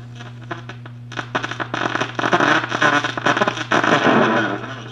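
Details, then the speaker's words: 1937 Gilfillan 731T-C radio: the 6F5 grid sounds fairly good but its output is extremely distorted, and the tubes are not yet tested; harsh, crackly, broken-up audio over a steady low hum, traced to a bad coupling capacitor. "output the output's extremely uh distorted so I have not checked any of these tubes"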